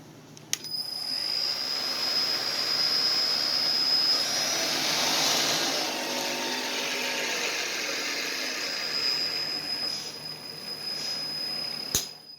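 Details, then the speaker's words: Millport milling machine, 10x50 inch table, 3 hp with Speed-Rite AC variable drive, spindle in low speed: steady high whirring hum at constant pitch with no knocks or grinding; runs smoothly. "So as you can see, that runs good. I'll put her back in high."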